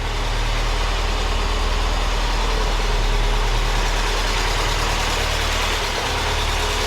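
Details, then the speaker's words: Porsche 944 starting for the first time after sitting and sorting electrical and no-spark issues: engine holds a steady, even idle with a constant low drone and no stumbles. "it starts now it bloody starts"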